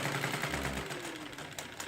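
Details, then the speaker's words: 1960s Korean-built Pagoda sewing machine after replacing the upper and lower shuttle race (bandal) parts; quick, even needle chatter with no knocks or grinding, now sewing forward and reverse normally with even stitches. "자, 아래 위로 반달을 교체하고 나니까 지금 보시는 것처럼 예, 정상적으로 후진되고 있고 전진되고 있고 이쪽에 고른 바느질이 나오는 걸 보실 수가 있습니다."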